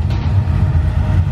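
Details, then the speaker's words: Previously cammed car, shown as a preview of the LS3 Corvette after its cam swap: deep, choppy low rumble with uneven loping pulses, the typical lope of a healthy cammed V8. "Well, that's what this is going to be sounding like when it's all done."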